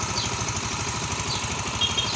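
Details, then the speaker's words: Yamaha Mio MXI 125 after overhaul, running while coolant is topped up: even, steady putter with regular firing pulses, no knocks or rattles; engine now good, normal idle. "So goods na yung kanyang makina mga kaidiyas."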